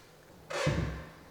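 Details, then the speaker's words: Newly installed slab door on hinges with larger longer screws, first close: short squeak as it swings then dull thump as it catches; hinges misaligned, door binds and squeaks when closing. "Whoops. All right, so it didn't exactly line up. You actually hear the door squeaking when it tries to close."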